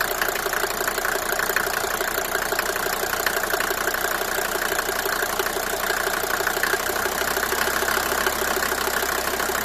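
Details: Mercedes W124 250T diesel, 245,000 km, cold idle with quick light uneven tapping about three per second over the clatter, after head gasket and valve stem seal replacement; source not found.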